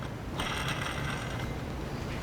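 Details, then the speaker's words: Toyota engine running in the shop with the exhaust dropped: steady, loud, rough growl with a dry ratcheting edge from the worn lower idler pulley bearing. "This lower idler pulley, it's growling pretty bad. So it's pretty loud."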